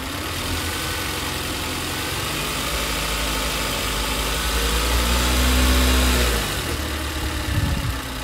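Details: 2011 Toyota Avanza S at idle, loud with an uneven, lumpy beat around four pulses a second that never settles; rough idle, cause still unknown, with spark plugs recently changed and leaks noted.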